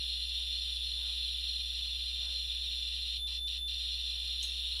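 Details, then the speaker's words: Geiger counter held to the top of an opened radium container: a steady high-pitched alarm tone over a low hum as alpha, beta and gamma radiation max the meter, reading "over". "My geer counter right now says over. In other words, it maxed the meter."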